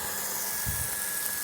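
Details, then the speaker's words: Gianz QB60 peripheral water pump on IBC container/rainwater tank, primed, hose open; steady high-pitched motor whine with a rush of water, even and unwavering; pump running fine, no leaks. "there's the water. Unbelievable. Yeah, it's all working fine."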